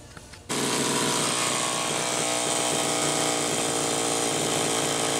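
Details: 1985 Homelite Super XL Automatic chainsaw with a reported hot smell: catches and holds a crisp high steady scream at full revs, no bogging or surging; runs strong.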